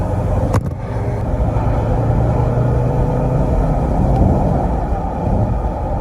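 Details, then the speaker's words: 2007 Range Rover L322 4.2 V8 supercharged, 16 years old, sports mode, full throttle, window open: deep rising roar building evenly with strong low rumble, no knocks or rattles; normal healthy acceleration. "I really hope the sound of the engine and the sentiment was caught. Because it's such a beautiful engine, such a beautiful car."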